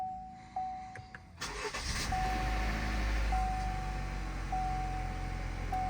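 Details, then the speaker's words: GMC Terrain idle after replacing the cam-driven vacuum pump, which had failed internally and caused clunking and banging. A chime, then it cranks, catches and settles into a quiet, even idle, much quieter than before. "holy crap this thing's quieter than it's been in a long time this thing's much quieter all right let's shut it down we'll go take it for a ride i actually can't believe how much quieter the engine is"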